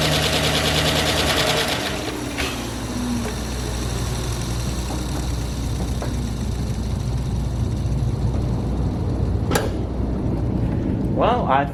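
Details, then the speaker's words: 2009 GM truck with 5.3 LS V8, first startup after a broken camshaft locator pin fix, fresh oil and filter, jumper battery: quick start settling into steady idle with light tapping; lifters still pumping up, 50–60 psi oil pressure, otherwise healthy. "lifters need to be pumped up a little bit and yeah that little tappy sound will go away after some time"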